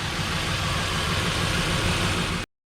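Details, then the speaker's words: 2009 Nissan Pathfinder SE 4WD, 4.0L V6, idling after drive belt replacement: smooth, even idle with a steady low hum and no squeal, chirp or tick from the belt; belt drive healthy. "Nothing looks wrong. Nothing sounds bad. Everything's good. Don't hear any noises."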